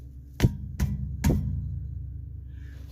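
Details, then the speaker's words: Dodge Hellcat after exhaust rattle fix with lowering springs removed: three sharp taps on the exhaust pipes ring cleanly with no buzzing or loose rattle; pipes secure. "We're all in there, and watch. No rattles. No rattles either side. No rattles."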